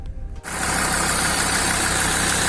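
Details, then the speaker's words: SsangYong Rexton 2.7 diesel at almost 214,000 km, heard under the hood after hydraulic lifter replacement. Following a brief quiet moment it settles into a steady, soft idle with no lifter tick. The engine now runs quieter and smoother. "работает мягко тушенка все просто как я заводом для полости доволен"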